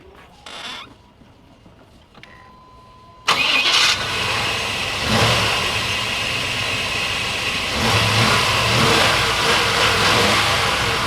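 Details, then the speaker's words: Chevy Tahoe after sitting 7 years, mic placed at the engine, started after replacing the faulty distributor cap and rotor: quiet, then the engine catches and settles into a steady, even run with no misses or knocks; clean start. "እንደምትሰሙት ድምጹ ተነስቷል መኪናው ተነስቷል የነበሩባቸው ችግሮች ተቀርፈዋል"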